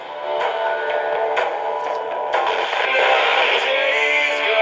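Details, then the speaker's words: Realistic DX-398 shortwave radio on FM: music clear without crackle or distortion but thin and bass-light whatever the tone switch setting; normal tinny sound of the small speaker, radio working properly. "if I plug in an external speaker, you can hear the, and it doesn't matter where I stick the tone switch on this, it continues to have that fairly tinty sound to it."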